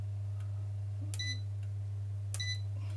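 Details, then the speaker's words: ERGO FS 1677 fan after repair, mains capacitor replaced (was beeping and shutting off): steady low motor hum with two short sharp beeps as first, second and third speeds are selected; all running normally. "и смотрите какой результат включается первая скорость вторая скорость 3 скорости"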